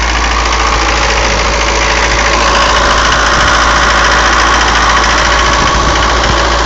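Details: 240D diesel with white smoke, about a minute and a half after the previous clip: steady, even clatter held at a fast idle that never settles lower; high idle, cause not pinned down.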